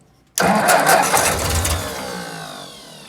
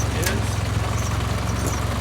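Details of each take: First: 1955 Ford 660 tractor, cold start with clutch down, a little throttle and choke: fires up loud, runs ragged and uneven, fades, then catches again, hitting on only three cylinders; cold-start misfire on a cold-natured engine. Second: 1955 Ford 660 tractor with a 134 cubic inch Red Tiger engine, idle set all the way down, in third gear with the clutch let out: a low, even thump at slow steady idle with no skips or rattles. Normal smooth idle.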